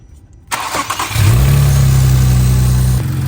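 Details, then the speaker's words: Infiniti VR30 engine just after installing Nissan's upgraded pulley for the belt-coming-off problem; a brief crank, then it fires, flares and settles into a smooth, steady idle with no belt slap or squeal: normal engine start. "all right guys everything's up and running"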